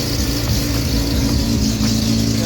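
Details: SCCA E-Production RX7 rotary at its first start after a rebuild with rewired direct-fire ignition, a new rejetted Weber carb and an external oiling system. A smooth, even note holds steady under a light rev with no misses or rattles; healthy.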